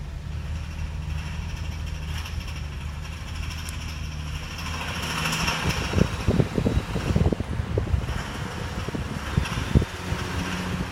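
Steady low engine hum, then irregular bursts of loose clattering for several seconds; a rattle somewhere on the vehicle, source not pinned down.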